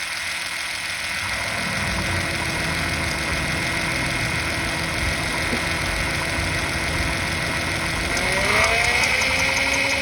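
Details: Honda Accord with J35 engine at idle: light, fairly even knock about four times a second over the engine note; source of the knock undetermined.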